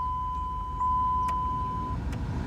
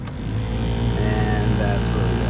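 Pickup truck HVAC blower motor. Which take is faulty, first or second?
second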